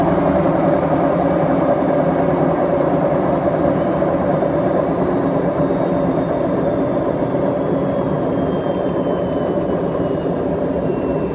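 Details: BEKO washing machine, 7 years 8 months old, drum bearings gone bad: heavy droning rumble with a faint whine sliding down in pitch as the drum coasts down, typical of worn drum bearings.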